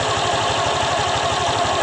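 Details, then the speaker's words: Honda Vario 125 LED eSP scooter idling after CVT disassembly, cleaning, greasing and reassembly: smooth even idle, steady low pulse about five per second, no rattle, scrape or knock from the belt drive; normal. "Ini setelah gua pasang kembali, enggak ada suara apapun yang terdengar ya, seperti halus ya. Enggak ada apa-apa ya suaranya."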